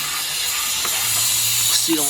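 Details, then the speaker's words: Air conditioning unit (two-ton, R-22) completely out of refrigerant, charged with nitrogen and gas to find leak, motor off: sharp steady hiss at the compressor, whose seal has blown, with burnt refrigerant smell. "leaking sounds like it's leaking right here [Applause] blow the compressor blow right there you can hear"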